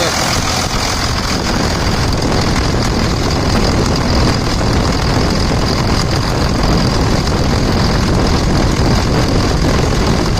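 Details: 2000 Dodge Ram 2nd-gen Cummins diesel after bypassing AC compressor pulley with 65" non-AC serpentine belt: steady, even idle clatter, no squeal, chirp or flapping; belt tracking straight, tension steady, normal idle.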